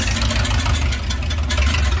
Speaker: Hear that old exhaust is just leaking nasty, so we're gonna get these long tubes on, have it not only sounding good but looking good too.